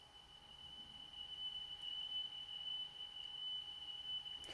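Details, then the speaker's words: Sony La Scala TC-S1 cassette deck playing a test tone, running slow and slower on side B than side A; steady high tone with quick repeating warble, wow and flutter, cause unknown, possibly the cassette. "you can definitely hear it it's going dee dee dee dee dee dee if something is affecting this it could be the cassette i suppose"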